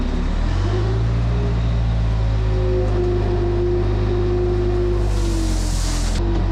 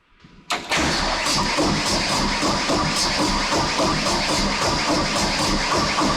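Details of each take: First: Case 430 skid steer with replacement rebuilt 4.5 FPT diesel: deep, even drone that dips in pitch as load comes on and recovers cleanly, no stumble or miss, no black smoke under load; engine healthy. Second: Case 430 skid steer with a replacement FPT 4.5 diesel installed and rebuilt: steady starter churning at about four beats a second with no firing, as air is still being bled from the injector lines on cylinders 1–4.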